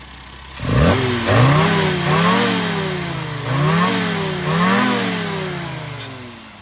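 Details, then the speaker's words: Austin A40 Farina after tuning, carburetor leaned out from too rich, distributor timing fine with 39° advance: engine catches, then sharp throttle blips rise and fall cleanly without stumble; running healthy. "now as you can see that sounds a bit like an angry forina so uh we'll let the owner go at it"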